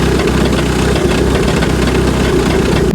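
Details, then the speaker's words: MK5 VW GTI Fahrenheit Edition with 220k miles has a loud, rough idle with a coarse rattle in the low rumble until shutdown. The noise comes from the flywheel, and the oil filter housing was also leaking oil. "now as you guys will have seen that terrible terrible noise that it was making was coming from the flywheel so that's not goo"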